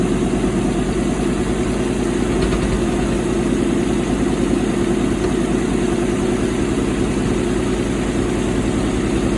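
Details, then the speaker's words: 1964 Chevy El Camino 283 V8 on a stand, after turning distributor counterclockwise to set timing with a vacuum gauge (12 inches vacuum): smooth, even rumble holding steady without stumbles; earlier carburetor hesitation gone. "It sounds pretty good. I'm gonna leave it right there and tighten it down. It was hesitating. No, it's not."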